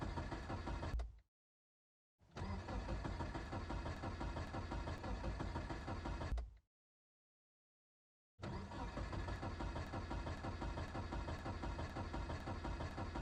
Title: Car Cranks Won't Start Cold Morning